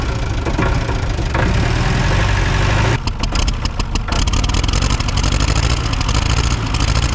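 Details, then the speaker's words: Old generator plant engine fired via starter switch after a no-start, settling into a steady low, even running beat with no misses or knocks after a brief dip; it makes power, lights work, no smoke once running. "Making power. Oh, we got the old saw here. Yeah! It makes power."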